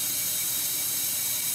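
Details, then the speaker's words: 2005/06 Ford F-150 5.4L 3-valve with a P0302 dead misfire, cylinder 2 under leak-down air pressure: a loud, steady rushing hiss from a huge leak past a damaged exhaust valve. "that right there is a huge huge leak you're always going to hear some uh air being bled off into the crank case past the compression ring don't worry about that at all"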